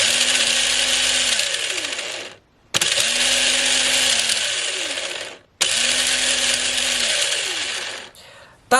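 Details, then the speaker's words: 20-year-old Tamiya M-03L RC chassis, long stored in a shed, motor bench-run before disassembly on a standard 7.2 V NiMH pack with chassis propped up; three bursts of even high whine spinning up and coasting down cleanly, no grinding, healthy motor. "sound bad it sounds quite healthy uh which is interesting given how long it's been stuck at the bot with that shed for"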